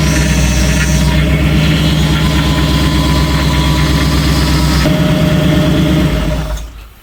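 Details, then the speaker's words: Restored 1966 Ford Bronco, first start-ups with a newly installed power steering box: thin steady whine over the running engine that fades and returns when the wheel is turned, caused by air in the new hoses; turning back and forth bleeds it out. "So why was it making so much noise when you were turning the wheel? It's got to bleed the air out of the system. It was brand new, and it had air in the hoses and all that stuff."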